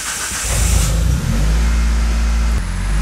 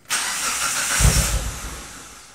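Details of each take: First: Fresh fuel filter fitted on a 2004 Mitsubishi CH Lancer (old filter's age unknown); after priming the pump, engine catches, settles and takes a couple of smooth throttle blips without stumbling; fuel delivery fine, runs healthy. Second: 2004 Mitsubishi CH Lancer, fuel filter change: started with fuel pump disabled so it would stall; engine catches, runs rough about a second, then dies as fuel runs out, a starve-out stall, then cranked to clear the line.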